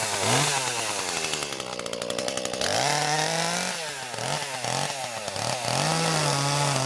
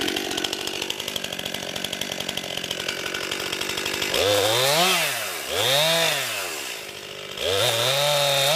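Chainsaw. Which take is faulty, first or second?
first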